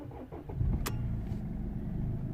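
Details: 2007 Mercedes W203 C220 CDI diesel, cold day, after repairing P2511 fault (engine light, limp mode capped at 3000 rpm) and clearing codes: short crank, quick catch, low even idle; starts and runs normally, engine light gone.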